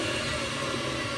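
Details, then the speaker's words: Lathe spindle at 3,000 RPM wide open on new V-belt setup, VFD at 150 Hz, about 1.5:1 pulley ratio; soft even whir, no squeak or slap, former high-pitched whine gone. Normal running. "I mean, before you could hear the other one squeaking. This thing is quiet as a church mouse."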